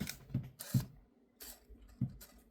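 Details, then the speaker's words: Used Canon EF-S 55-250mm lens bought on eBay, on a Canon T7: short irregular buzzy clicks and grinding bursts with quiet gaps; owner thinks the lens drive sounds bad, cause unknown. "And sometimes it makes like a weird noise that that I think that sounds bad."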